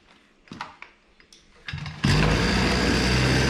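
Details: Hyundai two-stroke brush cutter after repair of a bogging, low-rpm fault: a few knocks and clicks, then it catches and holds a steady high buzz at full throttle without bogging or surging.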